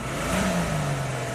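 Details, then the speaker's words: 2002 Jeep Grand Cherokee 4.0L inline-6, a crank no-start with a rebuilt engine, now running on a dolly with the O2 sensors unplugged: a short, clean rev with no stumble after an initial misfire cleared, put down to a fouled plug; normal rev. "That's a good running Jeep. It's on the dolly, but I just want to make sure it shifts."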